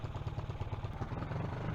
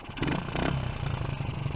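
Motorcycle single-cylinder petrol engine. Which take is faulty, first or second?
second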